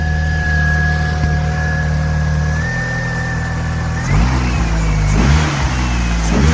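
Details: 2000 VW Golf Mk4 GTI 1.8T AGU after the failed ignition amplifier was replaced and its cooling plate refitted: steady, even idle and several clean throttle blips that rise and settle smoothly; the misfire is gone, healthy.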